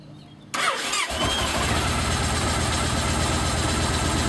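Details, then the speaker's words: 2007 Yamaha Roadliner V-twin after repairing the cracked fuel pump housing: engine catches within half a second and settles into a steady, even idle with no misses or knocks; normal start and idle. "There she goes. Fired right up."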